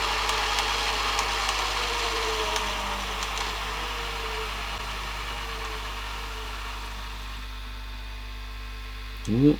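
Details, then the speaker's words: Panasonic VHS VCR (NV-HD650/675 super drive, high hours), after a service including mode-switch cleaning, rewinding from nearly 2 hours into a tape. The rewind whine sags and fades near the one-minute mark, giving a slow, weak rewind. "slowed down a bit early didn't do that other little thing the other type did but we're down around the one minute Mark and it's going very slow again that's a bit more like what it was doing before"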